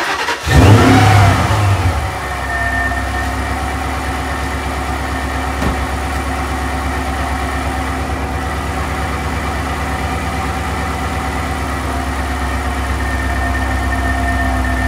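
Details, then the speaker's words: Mustang restarted: quick burst then steady even run with gentle rev rise, no knock or rattle; sounds fine, owner unsure of cause. "maybe I'll try tapping the gas a little bit just to see if that happens cuz honestly it sounds fine it looks fine right now"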